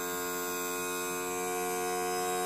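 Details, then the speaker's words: Evinrude 40 hp outboard power trim pump whining steadily with a slightly rough, uneven buzz as it runs, sucking air the whole time; air bubbles in the trim hydraulic fluid, partly bled off so it works again. "I bled that air off and see she's working now she's sucking air the whole time she's working but it'll get you out of a"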